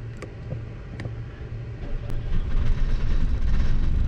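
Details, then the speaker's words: Generator about 10 years old on a 1987 Class A motorhome, due for service and an oil change, under light load: low drone swells and eases instead of holding steady; surging blamed on a dirty fuel system. "okay so yeah that's a that's a dirty fuel system issue um when they kind of surge like that"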